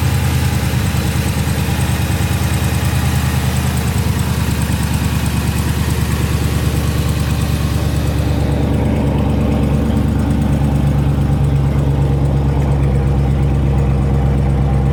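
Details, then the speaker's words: New 2020 Dodge Charger 392 Scat Pack Widebody V8 at cold-start idle: light, quick ticking riding over the engine, faster than the firing beat; lifters hitting the cam, lifter tick. "you guys hear that right there that little ticking noise that's what i'm talking about right there"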